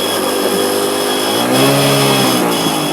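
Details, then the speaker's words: Pulse Adrenaline 125cc motorcycle under load after dropping a gear: loud engine roar with uneven metallic rattle only at a certain RPM; owner stripped bike without finding it, cam chain questioned; engine rattle at certain RPM. "I have a rattle, an annoying rattle. You might be able to hear it. It's at certain RPMs."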